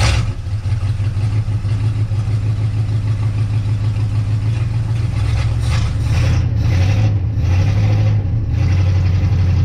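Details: 1958 Dodge Coronet Lancer V8, 30-year barn find, idling after condenser and coil checks; still sputtering, lurching uneven idle, shakes, was smooth when first run; intermittent misfire persists, cause unconfirmed.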